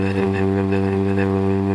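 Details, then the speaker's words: Roadside-salvaged Toro mower, running after fuel was added, starting on one pull: a smooth, constant buzzing drone at steady speed with no surging, popping or hunting; it runs cleanly. "not bad right I mean uh I'm happy I grabbed this thing if I didn't grab it it would be the landfill right now I'm surprised it started with one pull"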